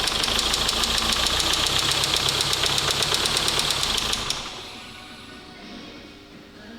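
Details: 2004 Mazda 6 2.0 MZR-CD diesel, original engine with a little throttle then shut off: sharp regular knock about four times a second over the diesel; injector or valvetrain suspected, valvetrain fine; engine was knocked out and replaced; oil-pressure sensor wire found broken.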